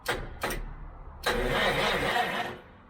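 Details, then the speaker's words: Citroen HY72 van, not run in 8 years, off road 40 years, no fuel tank fitted, new points and coil, fuel now flowing: short bursts then steady starter whirring with no firing; cranks but won't start, owners suspect missing spark. "we've got fuel going through now uh air if it was unclogged all we have an issue with is getting spark"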